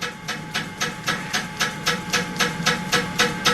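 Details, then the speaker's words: Pottery wheel in use during a throwing demo, after repairs: sharp even ticks nearly four per second over steady hiss; repeating tick, cause not yet found. "do not like that sound it's really annoying isn't it"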